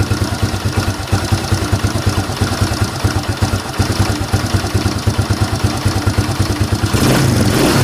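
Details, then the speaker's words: Fury 125 single-cylinder motorcycle after DIY carburetor repair kit replacement: light, regular ticking about three times a second over the idle, revs rising at the end; owner dismisses the engine ticking and plans an adjustment, source unconfirmed. "Huwag mo na lang po pansinin yung ingay ng makina, yung salagitik."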